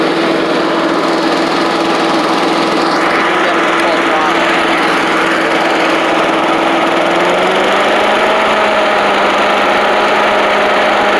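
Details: Old Australian-built Rover Turbothrust mower started, with a working 12-volt generator: steady, even drone at constant tone that settles slightly lower partway through, with no stumbling or misfire; runs smoothly.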